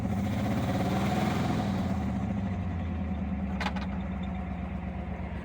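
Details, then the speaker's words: 1975 Ford Granada V8 after years of neglect, vacuum tree unplugged, idle turned up, choke used: lumpy, shaking raised idle, picking up and losing a cylinder, still missing; rough idle. "Shakes pretty bad. Oh, there we go. Picked up a cylinder. Oh, and it's gone. Maybe we'll get all 8 someday."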